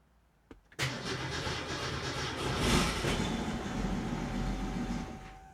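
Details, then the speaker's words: 1967 Mustang with Holley Sniper 1100 EFI: catches after a short crank, runs unevenly a few seconds, then sags and dies; cause not yet found. "Okay, see that? She fired up briefly, but then died."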